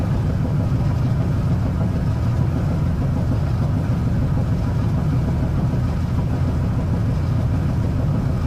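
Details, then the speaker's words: Gas dryer that wasn't heating, after clearing a spider web from the gas pipe and burner tip and blowing out dust: steady even low roar without sputter or flutter, stable flame much stronger than the earlier low flame. "Now you can see the flame is much stronger. From the original flame that we had was low flame, and"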